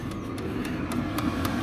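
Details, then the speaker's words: Motorhome diesel heater after repair, warming up: light, even ticks about four times a second over a soft hum, mainly heard outside and only until it reaches temperature; no bad fan noises; normal warm-up ticking. "You can hear it more now. It's in there. It's only doing that until it gets up to temperature."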